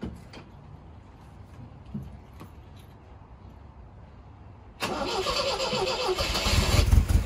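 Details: 1978 MGB after carburetor rebuild, after years parked: quiet until the engine catches at about five seconds, then a steady run with revs climbing slightly; starts cleanly and runs well.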